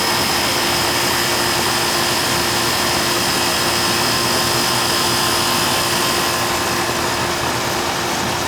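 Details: Old Amana R22 central AC outdoor unit, set to cooling and running: steady fan rush with a constant compressor hum and no rattles or clicks; runs normally, though the owner says it cools slower than it should when it's very hot.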